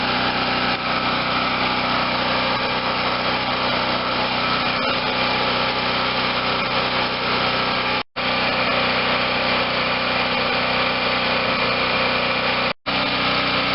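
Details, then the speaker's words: Garage-sale Wen 4050 generator after new carburetor and speed adjustment to about 60.5–61 Hz; engine tight and little used, no electrical work needed; steady, even drone at governed speed, no misses, knocks or hunting, sounds healthy. "well ladies and gentlemen finally one that was easy to fix didn't need any work on the electrical side and the engine was as tight as i was hoping it was going to be"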